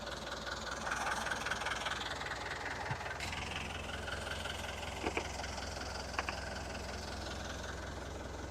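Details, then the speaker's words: Diesel engine cold-started after sitting a while, fresh oil, initially short of fuel: a steady, low, even rumble with no knocks or misses, water from the exhaust, no smoke, good oil pressure; a healthy idle. "Sounds good, it's running good, started right up."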